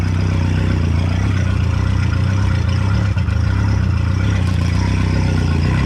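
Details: Outboard motor at steady even low idle, running with fuel cleaner added; clean smooth running; normal idle.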